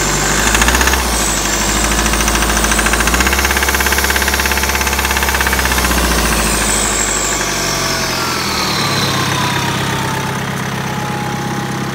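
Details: 2012 BMW 520d diesel, 60k miles, cold start: rough clatter with an uneven knock, about three per second, over the idle; cold engine knock, cause not yet pinned down.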